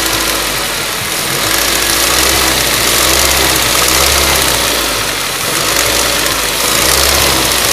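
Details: Ford Duratec HE 1.8 engine with a fast, somewhat uneven tapping over a hissy idle, about three to four knocks a second; owner asks what it could be, source undetermined.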